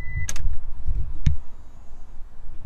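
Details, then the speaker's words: Car with no-start issue after battery and starter both tested fine: short chime at key-on, then a couple of sharp clicks over a quiet background; fuel pump priming normally. "yep fuel pump clicked here we go"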